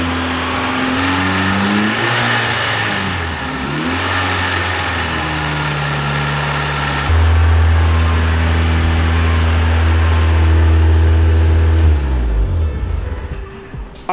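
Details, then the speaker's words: VW Golf Mk1 AWD (4motion) 1.8T turbo, first start after engine and gearbox refit with new clutch, flywheel and pressure plate, clutch not engaged: catches quickly on first try, settles into smooth steady idle with a couple of blips, no knocks or rattles. "Okay, so at least it starts. I know this does not like I haven't engaged the clutch, but you know, at least it starts again. It started on first try very easily."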